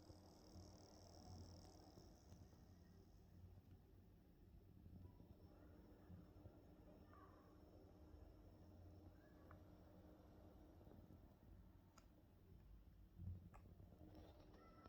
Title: thinkpad x1 carbon gen 9 coil whine / clicking noises